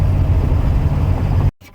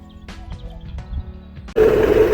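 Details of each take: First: Mercedes diesel after the garage fitted a brand-new accessory belt: a low, steady diesel rumble with no whistle or squeal riding above it. Quiet belt drive after repair. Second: Mercedes before belt replacement at the garage: a steady, thin, mid-pitched whistle holds over the engine noise for several seconds. Worn accessory belt whistle; a new belt was ordered.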